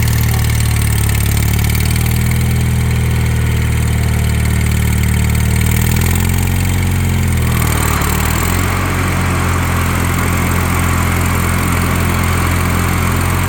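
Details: Wheel Horse 416 Hydro, 16 hp, just revived after two years sitting outside, with the cylinder suspected full of water: a deep, steady single-cylinder thrum that turns slightly rougher as the deck engages; running normally.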